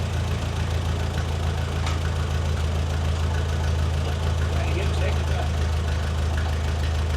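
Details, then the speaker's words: Restored, once-abandoned Ferguson TE20 tractor idling after a replacement old-stock part was fitted (ballast resistor uncertain), before testing the clutch. Steady, even low idle with a clean unchanging beat, no misses; normal idle, "certainly quiet." "Certainly quiet."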